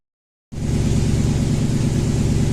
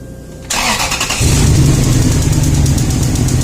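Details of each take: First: Toyota Tundra (stated as 2012 and 2000), 282,000 km, sat about a year, misfire codes on cylinders 3 and 8, idling: loud idle with a low, uneven beat and a repeating skip; cylinder 3 misfire from a failed ignition coil. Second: Toyota Tundra (stated as 2012 and 2000), 282,000 km, long-sat, misfire codes: cylinder 1's coil connected to cylinder 3's wiring, engine running with a sharp, regular snapping spark-tester tick; steady spark, wiring and swapped coil good.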